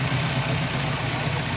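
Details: 1999 MasterCraft MariStar inboard boat with a newly installed engine (standard TBI fuel injection), first lake test at the boat ramp: smooth, steady low idle with an even rumble, no misses or knocks, over a hissy background; normal, healthy idle.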